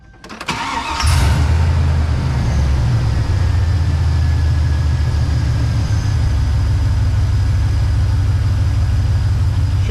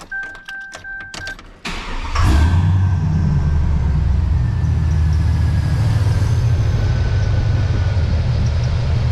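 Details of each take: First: GMC Sierra (NBS) pickup after Seafoam treatment and new belt installed: quick crank, catches with a faint chirp at the very start, then steady deep idle with no belt squeal; owner thinks the start squeak was initial junk or something on the pulley; normal idle. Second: GMC Sierra (NBS) pickup before tune-up, old belts: engine cranks and catches, then a thin steady squeal over the idle rumble; owner not 100% sure it is the belt, tensioner also possible; squeal at start-up and idle.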